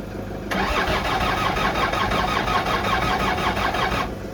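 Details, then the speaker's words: Land Rover Discovery 2 TD5 diesel after cleaning oil from the ECU restored crank signal: slow uneven cranking about 3.5 seconds without firing, 120-150 rpm with booster supply connected; still cranking too slowly, no start. "So the RPM now reads 0 and then it goes up to 120 or 150 with the Fortuner hooked up. So it's still cranking too slow."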